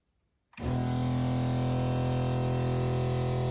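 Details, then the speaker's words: Shurflo 2088 12V diaphragm water pump fitted with the recommended flexible hoses on inlet and outlet for silencing: loud steady droning hum with a fast pulsing buzz of about four beats a second; still very noisy despite the silencing. "What you just bore witness to is this Shurflo 2088 water pump. So noisy."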